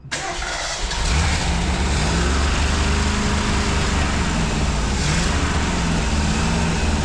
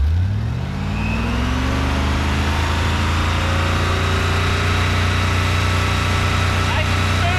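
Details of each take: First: Test run of a 1965 Ford 289 4-barrel V8 (225 hp) with 4-speed top loader in a 1955 Ford pickup; lumpy, wandering, uneven idle and blubbering, shaking when revved, caused by incorrectly set ignition points, carburettor also due a kit. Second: 1955 Ford pickup with 1965 Ford 289 4-barrel V8 (225 HP), four-speed top loader, warmed up after valve readjustment: revs fall back to a steady even idle, all eight firing, oil pressure about 40 psi idle, 55 revving; slight blow-by remains.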